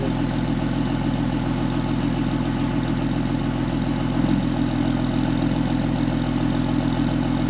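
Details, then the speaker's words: 2005 Ram 2500 diesel after the FASS lift pump and fuel lines were swapped, run for a while to clear up the engine: an even, steady idle clatter with regular pulses and no stumbles or misses. It runs pretty even, a normal idle. "just going to let this run for a little bit see if I can clear up the engine some sounds good running pretty even I like it"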